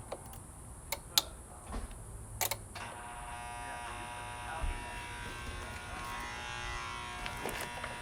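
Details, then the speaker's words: Washing machine on soak mode with the timer running: a few clicks, then a steady electric hum drones on unchanged as the water/drain pump keeps running when it should have stopped. "Okay, that's the water pump still going."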